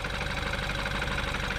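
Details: BMW X1 after a valve cover gasket replacement for a burning smell, started with the battery reconnected: a steady, even idle with a smooth quick tick and no misses or knocks. Leaked oil is burning off the exhaust manifold, and there are no leaks; a normal idle.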